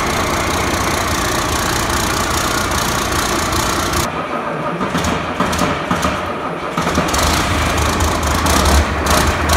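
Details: 1993 Ford Louisville L8000 diesel truck, first run after sitting about 11–13 years: rough uneven clatter settling into steady idle with belt chirp on top; engine itself runs fine, normal diesel idle.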